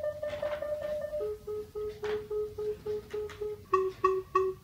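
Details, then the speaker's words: FenSens wireless Bluetooth parking sensor approaching a wall after a phone restart: short, even beeps about three a second, coming quicker and louder as it closes on the wall; working properly. "Okay, there is some progress. It got stuck again, but after restarting my phone, it does something, as you can see. It's beeping, and when I get closer to my wall, thank you."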